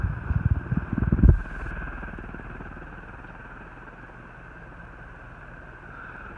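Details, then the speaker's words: Hunter R-36 36-inch antique ceiling fan with original parts and a 2-speed porcelain pull chain, on high: a steady, even, quiet hum that picks up right away, with healthy bearings and no grinding or ticking. "Nothing here, she runs quiet. Go ahead and get a high. And as always, it picks up right away."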